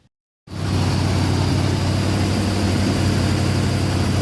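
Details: Cold start of a 1965 Chevy C60 stake rack truck after fuel system rebuild, choke linkage missing, vacuum choke opening on its own; engine catches after brief silence, settles into steady even low idle rumble, no knocks or misses; normal cold idle.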